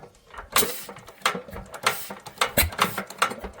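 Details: Bamford SG3 stationary engine, first start attempt in 30 years, half choke, petrol leaking from the carb: uneven clanking turnover with compression puffs every half second or so; fired once but never catches and runs.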